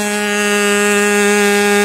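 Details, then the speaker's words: Freshly rebuilt K&B 40 model 4011 glow engine with its new ring still seating, on 10% Coolpower plus 4% castor and a 10x6 prop. A steady high-pitched scream around 12,300 rpm with no sag, but it is running rich. "now you could tell also it was running rich and it was what twelve thousand three hundred something like that"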